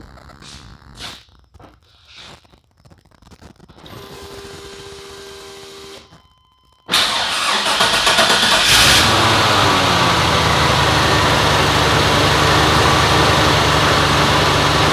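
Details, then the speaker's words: Truck with a Vortec 454 and 4L80 transmission. A few clicks and a pause, then it cranks, catches and settles into a loud, lumpy idle with an uneven beat. Rough running. "Doesn't purr like a kitten. That would be that truck over there. But this truck has the Vortec 454 4L80 transmission in it."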